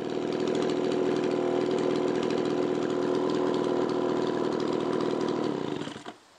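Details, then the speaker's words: Echo two-stroke leaf blower, after a no-start diagnosis and carb screw adjustment: crisp, even buzz holding a steady pitch without misses, quick throttle response, then a clean cutoff at the switch; spark, fuel, air and compression all good, running normally. "we now have all the elements to make the engine run we have spark we have fuel we have air and of course correct compression that's why the thing is up and running"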